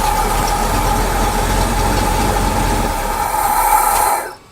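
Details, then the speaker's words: Ford Bronco with PCV valve plugged back in, no vacuum leak created: idles roughly about four seconds then abruptly dies; stalling at idle, though it idles at about 700 rpm when PCV is undone; cause unknown. "as soon as i plug that back in it'll stall out so start it up and watch it die"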